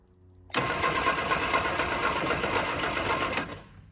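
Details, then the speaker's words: 1965 Innocenti S Spider with 1098 cc engine, sitting for years, crusty points: starter spins the engine steadily for about three seconds without firing. A spark is seen but weak, so the points are to be cleaned. "so I think we are getting a spark it's just not a very strong one"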